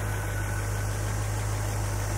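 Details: 1975 International Harvester Scout II, stock V8: deep, steady low rumble with an even beat and no knocks or ticks; idles smoothly and sounds healthy.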